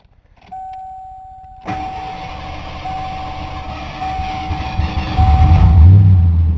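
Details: 1988 Ford Crown Victoria, sat about 20 minutes, after EGR vacuum line fix: chime then starter cranks evenly for several seconds but engine never catches; hard start, fails to start, fuel pressure to be checked next.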